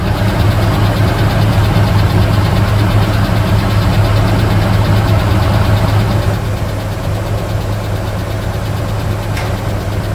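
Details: Mitsubishi Pajero Dakar V6 flex-fuel during post-purchase service, with new radiator and cleaned TBI: low, even hum with a steady beat at idle, no knocks or rattles; V6 idles smooth and healthy.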